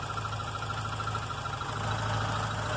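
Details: VW Golf Mk3 at idle after engine work, previously troublesome idle actuator (stepper motor): steady, even low hum with no misses, knocks or hunting; idling smoothly.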